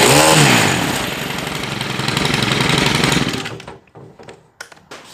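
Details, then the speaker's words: Stihl KM131R Kombi after choke knob replacement, first cold start of the morning on full choke, primed three times: rough uneven snarl right after starting, then cuts back and sputters as choke releases; normal cold start. "So as soon as it starts and kind of runs really rough, we're going to go ahead and release the choke and give it some throttle."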